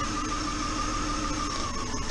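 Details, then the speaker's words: 2001 Honda Odyssey with engine misfire and flashing check engine light, running while ignition coil packs are unplugged one at a time: steady hum with a slightly uneven, lumpy beat; a failed coil drops one cylinder. "I'm gonna disconnect the coal packs one at a time see if it makes a difference happened us that one does that one does"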